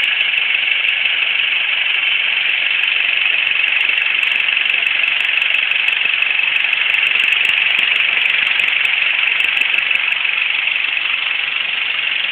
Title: Ticking Sound